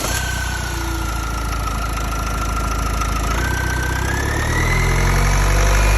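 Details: Renault M9R diesel engine running; thin whistle over the clatter, dipping slightly then climbing as revs rise; weird noise, cause unknown.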